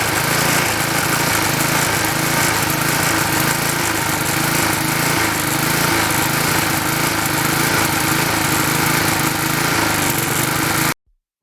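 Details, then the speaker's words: Klippo Champion lawnmower with Briggs & Stratton Quattro 40 single-cylinder engine, carburettor suspected of over-fuelling: soft, uneven low beat that lurches instead of a crisp note, still running very rich and weak. "I can use this but it's not still running and the way it's a nice it's running very rich"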